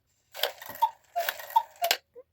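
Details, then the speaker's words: Gebr Kuner cuckoo clock from the 1950s with a modified Regula 1 movement, after cleaning and reassembly. Crisp, evenly spaced ticks about three per second in a quiet room; it runs fine with the current weights. "It's working just fine with the weights that I have on it. I said it was working just fine."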